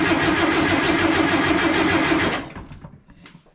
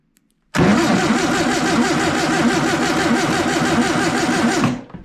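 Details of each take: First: Long-stored warehouse-find air-cooled VW Beetle/Bus engine, gearbox in neutral, crank test before checking spark: even starter churn about three beats a second for two seconds, free cranking with no knocking; sounds pretty good. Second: Long-stored air-cooled VW engine cranked on 12 volts to the coil via a jumper starter cable: steady even starter churning about four seconds, no firing; still no spark; owner wonders if it's 6 volt.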